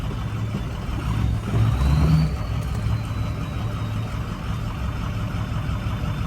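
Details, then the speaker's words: Ford 6.0 Powerstroke diesel that died on the drive home: low idle with an uneven, lumpy, choppy beat and a brief surge, later running fine; owner suspects fuel gelling, cause unconfirmed; rough idle. "this died and listen how bad it's running right now I don't know what's going on with it now it's just running fine dude that was weird"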